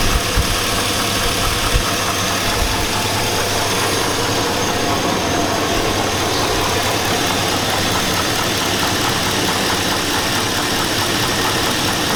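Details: 2002 Chevy Avalanche 5.3L V8. At idle a heavy metallic clank runs steadily under the noise as a deep bottom-end knock. The owner suspects rod knock.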